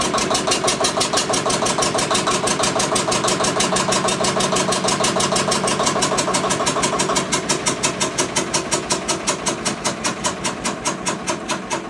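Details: Witte single-cylinder diesel generator's first run in 45 years: even thumping about three beats a second with sharp clattering edge; engine runs but was not building oil pressure, so it was shut down to investigate.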